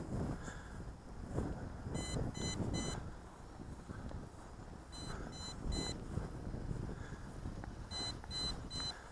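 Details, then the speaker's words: MJX Bugs 20 EIS 4K GPS drone in flight: short groups of three or four high beeps repeating over wind and rotor hum; low battery warning, drone lands itself rather than returning home. "What I want to show you is, will not return to home and land, okay, on low battery. What it's going to do is land itself when the battery gets down to the lowest point."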